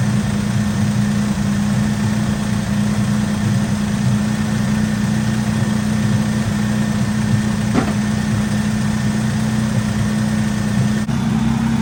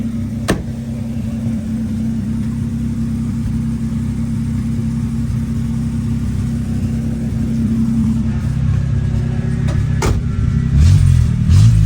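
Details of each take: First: 1964 Oldsmobile F85 Cutlass, one-owner, 67,000 miles, revived after 33 years sitting, restarted after a bad hose and dirty fuel filter: a steady, even idle with a low hum and no knocks, misses or stumbles, though it idles slightly high. Muffler is blown out. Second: 1964 Oldsmobile F85 Cutlass V8, 67,000 miles, just revived after 33 years sitting: a deep, fast idle that turns loud and raspy when revved. The exhaust is leaking because the muffler is bad and blown out at the front. It idles higher than wanted; later readings are 180–190 temperature and about 40 oil pressure.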